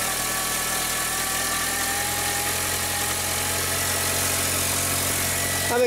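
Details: 2004 VW Jetta 2.0L BBW petrol engine, after a fuel pump replacement fixed misfires, lean codes and an intermittent no-start. It now starts and idles smoothly and evenly with no misfire stumble or hesitation.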